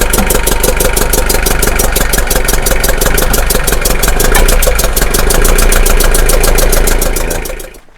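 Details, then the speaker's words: Bedford CF 2.3 diesel van, left in a hedge since 2016 and previously seized, first start: rough, clattery idle pulsing about four times a second before stalling, with heavy pressure blowing from the crankcase; tired engine with crankcase blow-by. "oh my Lord look at that you see the pressure coming out the crank it's going to attack it really want it to sto cuz I don't think we'll get it going again"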